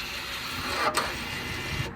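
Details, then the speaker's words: Audi A4 B9 2.0 TDI rear brake pad job, electric parking brake retracted via diagnostic tool service mode after pad change: short, even electric whir about two seconds stopping cleanly; motors operating normally. "Now once you change the pads, you can retract them with option number 2. You will be hear them moving again."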